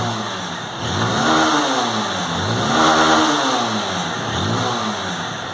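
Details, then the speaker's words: Motorcycle that was weak and misfiring with fault code 23 and a flashing injection light, revved after the wires were reconnected: revs up three times and drops back cleanly, no misfire, running perfectly. "tá aí galera funcionando perfeitamente beleza conectado aí os fios"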